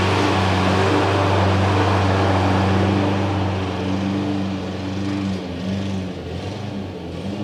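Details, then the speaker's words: Exmark EC21KA Commercial 21 walk-behind mower with a Kawasaki FJ180, started after a new primer bulb and reassembly: steady drone sags and stumbles as it loses power; engine starved of fuel and dying once warmed up, stalling. "so okay so we have a little bit of a deeper issue than i anticipated it's just getting starved something's happening with the fuel at some point"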